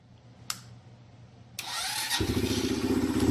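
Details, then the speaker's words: SSR Razkull small motorcycle after aftermarket carburetor upgrade, choke not used; catches on first crank and settles into quick even putter about four beats a second; normal start. "But honestly, the bike fires right up. Let me go ahead and show you that real quick."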